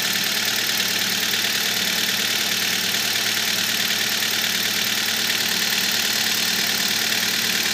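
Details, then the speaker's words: Kia Spectra just started, after spraying belt conditioner on a squealing drive belt: steady even idle with smooth hum, squeal gone, no chirp. "Я распылила средство всего пару раз, и скрип прекратился."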